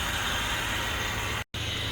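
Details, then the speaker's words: 2012 Toyota Prado, 4-cylinder, heard at the engine bay: steady, rough rattling whirr from the belt drive over a smooth idle. The lower belt tensioner pulley is worn and vibrating; the engine itself is sound. "طبعا هذا صوت البكرة سامعينها من هنا، هذه البكرة اللي تهتز شايفينها، هذا صوت البكرة واضح سامعينه."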